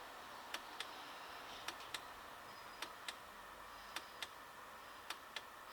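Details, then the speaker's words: Chinese diesel heater on a homemade controller (pulse generator and MOSFET board driving the dosing pump), first test: faint paired ticks repeating about every second, with very long on pulses; dosing pump pulsing wrongly, cause not confirmed. "you can hear that very long on pulses which is not what we were looking for"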